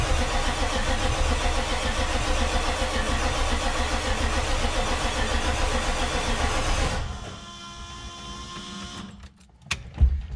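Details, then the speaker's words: Diesel truck at its first start after a Stage 1 build (new parts, aFe turbo-back exhaust, TS chip): about seven seconds of even cranking at roughly four turns a second that never fires. This retry comes two hours later. "Nothing. We'll wait, then try again, and again, and again."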